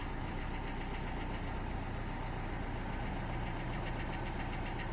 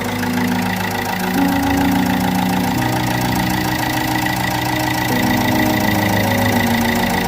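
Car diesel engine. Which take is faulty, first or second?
second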